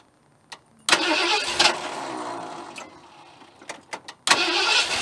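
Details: Vehicle jump-started with a TrekPow 1500A lithium jump pack, headlights on for extra draw: short crank catches at once into a loud rough start, then a clean restart after a pause. Normal cranking and start.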